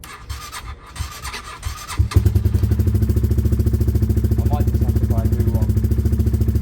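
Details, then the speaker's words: Project motorcycle started on a different, better battery: a few slow cranking turns, then it catches promptly and settles into a steady, even idle. Crank sounded similar; normal start. "let's see if this sounds a bit a bit [Music] stronger sounded similar really but it is a better"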